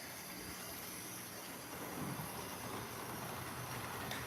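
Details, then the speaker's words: HO-scale Play Art (possibly Mehano) toy-set locomotive after its worn, unoiled motor armature bearings were swapped top for bottom: steady small-motor hum under light track rattle, holding speed evenly without surging; it runs much better now, though not perfect. "So it's not perfect, but if you compare it to the video, you can see that it definitely runs a lot better."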